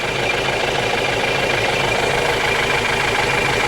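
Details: Ford Transit diesel, shaking, hard to start and missing badly, during an injector leak-off test: uneven lumpy idle pulse about twice a second over the clatter; rough running, owner suspects low compression in one cylinder, unconfirmed.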